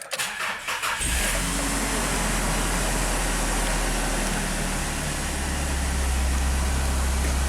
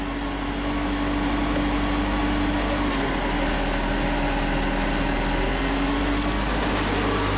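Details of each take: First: Mazda MPV starting after a replacement transmission was installed: the engine catches after a brief crank and settles into a steady, even idle with no knocks or slipping noises. The start and idle are normal. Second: Mazda MPV just after replacement transmission install, parking brake set: engine idles steadily with no load change or clunk into gear; automatic transmission not engaging, fluid level low, not yet filled.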